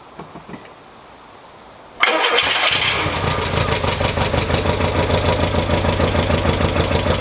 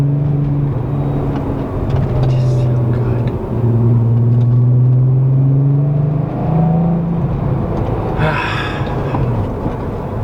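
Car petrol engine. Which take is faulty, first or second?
first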